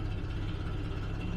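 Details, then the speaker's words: 1974 Vanden Plas Double Six V12 with carb issues, idling just after cold start on choke; low lumpy uneven idle, running on 10 cylinders with two down on one bank, gutless; misfire, timing or carburation suspected, not confirmed. "but it is not 12 cylinders of happiness it is down on two on that side and hey we got all six on that that's pretty good so it's a 10 cylinder at the moment and yeah it's it's gutless doesn't really pull that well"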